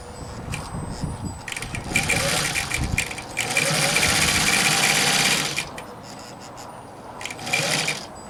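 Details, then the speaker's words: Bare Singer industrial sewing head driven by a 1.0 amp motor and foot pedal from an old Sears machine, sewing three layers of 10-ounce canvas: groans at start, then rapid even stitching chatter in bursts, running freely once through; normal operation. "And then, if you listen carefully, you'll hear it start to groan. And here it is. When you get enough power to overcome the resistance, it tends to take off."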